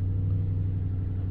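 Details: 2010 Toyota Tundra SR5 after secondary air injection valve repair and fuel rail priming: smooth even low rumble at steady idle with no misses, knocks or ticks; normal idle, check engine light apparently still on.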